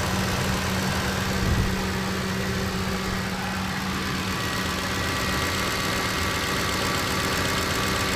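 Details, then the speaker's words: Ford 5.4 Triton V8, warm idle after timing chain kit install and reassembly: smooth and even, injectors faintly clicking, no rattle from the front; faint low thumping mentioned and a manifold leak remains; sounds healthy. "i will tell you the engine is like velvety smooth sounding right velvet smooth as a sound these days right not the injectors the injectors are very noisy on this engine"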